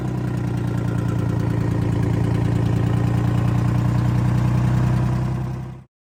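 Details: Detroit 6V53 two-stroke diesel in a Kenworth/RFW 6x6 off-road garbage truck with Allison automatic, run after sitting at least four years: a deep, even drone at steady speed with a smooth, regular beat, then a clean shutdown; runs quite well.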